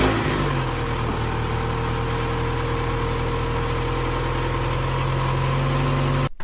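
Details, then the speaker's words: Mazda MX-5 1.6, 118,000 miles, started from freezing cold the next day: smooth even low idle hum, quiet with no ticks or rattles, then shut off; engine sounds good despite some blue smoke. "So as you can see, the engine was quiet. There was no rattles. Quiet. There was no rattles at all on the engine, was there? It sounded really good."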